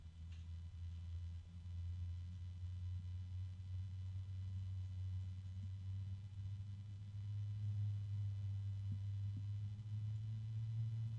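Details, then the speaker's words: PC case fan (3-pin plus Molex) at its slowest speed, held close to the microphone: very quiet soft steady low hum with faint bearing noise, no rattle; rated 21.2 dB, running smoothly. "And it's very quiet, although there is some noise coming from the bearings. But it's a very, very, very quiet noise. It's got a low tone."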